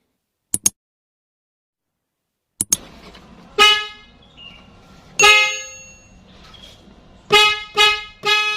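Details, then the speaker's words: Nissan Grand Livina horn tested after replacing the horn spiral cable, because it had not worked from the steering-wheel button although fuse and relay were fine; several crisp, bright, strong blasts show normal horn operation. "Sekarang kita akan lanjut untuk tes suara klakson yang sudah kita ganti spiralnya"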